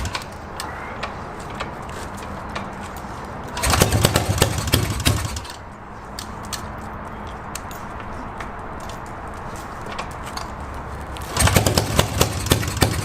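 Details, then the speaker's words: Yamaha XS650 twin, first start in 25 years on rebuilt stock carbs: ragged uneven idle, lumpy revs on throttle blips. One exhaust stays cold; owner suspects one carb not working, firing one cylinder only; a spark plug wasn't fully in. "I'm pretty sure this one carb is not doing its job because this exhausts it's still cold and this one's got some warmth in it so I think I think it's only firing the one cylinder right now"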